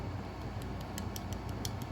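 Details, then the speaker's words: Vevor MX400 mini lathe tensioner pulley rocked by hand on its shaft: sharp little ticks, about four a second, because the pulley's rear bearing is loose. "That back bearing is loose."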